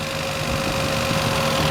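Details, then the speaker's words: Toyota Paseo, warm, after cam seal, oil pan and vacuum line work: a fast, steady high idle around 1500–1800 rpm with the idle control's vacuum supply not yet fixed; expected to drop to a bit over 1000 rpm. "it will drop to about fifteen and then once I fix the once I get the vacuum pressure fixed with that it'll drop it some more"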